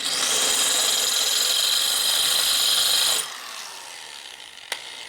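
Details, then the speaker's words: Drilling out a hard, heat-treated set screw on a 1999 80ci Evo chopper with a dull bit: high, steady rubbing whine for about three seconds with no cutting bite, then winds down; the bit turns the correct direction but the dull drill is not cutting. "that is going the correct direction but it is not cutting at all that drill is not happy at all you can hear it not cutting"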